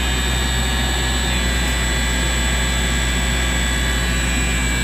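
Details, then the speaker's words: Big industrial commercial air compressor on a frequency drive, ramping speed with air demand, feeding an air dryer under refrigerant leak repair; steady even roar with constant high whine, no knocks or rattles, normal running. "as they need more air, obviously it'll ramp up and slow down based on the demand of air that they need. So this is pretty much like a big industrial commercial air compressor."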